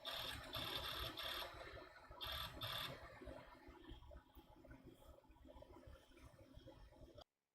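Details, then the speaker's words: Apple Power Macintosh 7100 old SCSI hard drive during boot: quiet, repeating scratchy seek chatter about every half second in an endless loop, not grinding; failing hard drive seek loop. "I'm not sure if you can hear this but the hard drive now is just going to go into a loop basically where"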